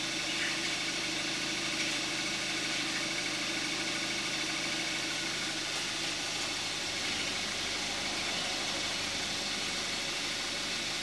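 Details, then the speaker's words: 2014 Kia Forte5 2.0 GDI, 41,000 miles, synthetic 5W-30 oil, cold start and idle recorded with the camcorder mic: even, steady idle with a light, fast injector tick and no knocks or misses; normal idle. "This is going to be the cold start of a 2014 Kia Forte5 2.0 GDI with 5W-30 synthetic oil and 41,000 miles on the engine."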